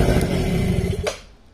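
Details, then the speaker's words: Quadzilla Buzz 50 two-stroke quad, stood over 5 years, running cold on the parking brake after fitting a loom and switches from a working sister quad: steady rapid putter, then revs fall away; healthy normal running. "But that's it running anyway."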